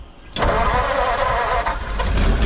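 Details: 1940 Mercury Eight, stored since 1977 and started for the first time, fed from a gas bottle through the fuel line while testing the fuel pump: a sharp bang as it fires, then a heavy, uneven, deep rumble; it backfires on starting.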